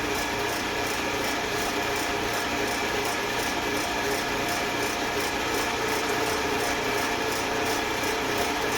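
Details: Eastwood Elite QST 30/60 scroll air compressor after replacing the failed pressure switch, which had never cut out and popped the 30 A breaker: tank just past 50 psi heading to the 145 psi cutoff, steady whir with fast light pulse, no knocks; normal running.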